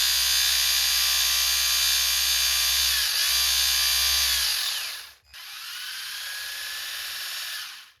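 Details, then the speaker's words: 3D-printed Frankenstein RC car differential with nylon gear against factory gear, 600 W motor, under throttle: harsh, high buzzing whine with fast regular chatter winding down twice; gears cutting, plastic teeth being chewed. "It's running. Does not sound good. But, it is spinning. >> We're cutting gears."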